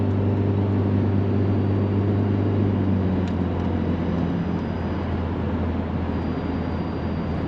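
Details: VW Mk4 2.0 wagon driving after a Techtonics Tuning exhaust kit fixed a loud leak. A smooth, even drone fades out gently, with no puffing, ticking or hissing from any joint. Normal exhaust note.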